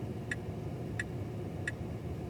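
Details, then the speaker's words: Tesla in cabin after random fuses were pulled, right-side lights out: crisp indicator ticks at double the normal rate, faster than the actual lamp flash; turn signal hyperflash. "now, you hear the ticking is not normal. But the frequency is double."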